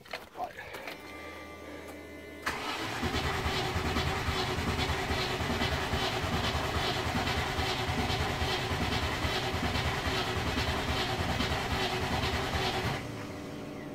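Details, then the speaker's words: Late-1993/Jan-1994 Range Rover Classic Vogue with LPG, after breakdown: steady crank about three beats a second for ten seconds, never fires; fuel supply to be checked next. "right next thing we need to do is I'm going to check on the fuel supply because these LPG systems are all well and good but they need the engine to fire before they open up the circuits to the solenoid"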